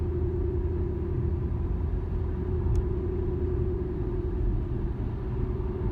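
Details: 2013 Infiniti G37S coupe driving straight: steady mid-pitched hum over deep road rumble, starting around 30 mph and worse at 50–55 mph; dealer blamed tires, owner doubts it; cause not identified.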